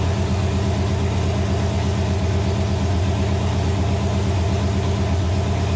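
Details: Nova engine, first start on the stand after six months of troubleshooting: loud, deep, steady rumble at fast idle with an even beat and no knock or miss. Runs healthy; a gauge suggests a possible wiring issue.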